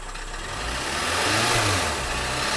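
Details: 2012 VW Tiguan GDI turbo that stalled on highway with suspected low oil pressure warning: revs rise and ease off with rough, strained roar and faint knocking underneath, smoke from hood; later judged rod knock.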